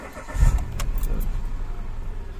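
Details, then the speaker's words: 2018 Mitsubishi Mirage G4 manual, brought in for strong engine vibration and an intermittent check engine light, scanner on with no codes, monitoring the oxygen sensor: short crank, catches at once, settles to a steady low idle; normal start. "Good start. Revolution natin. Kumagat naman kaagad."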